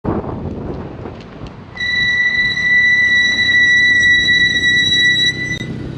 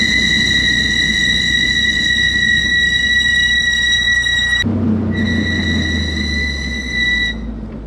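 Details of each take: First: 2G Mitsubishi Eclipse GSX with Brembo brakes and Hawk metallic pads: loud, steady high-pitched squeal during a gentle stop; swapped to StopTech Posi-Quiet semi-metallic pads. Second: 2G Mitsubishi Eclipse GSX Brembo brakes after swapping Hawk metallic pads for StopTech PosiQuiet semi-metallic pads: hard stop on hot brakes with only road and tyre rumble, no squeal; normal braking.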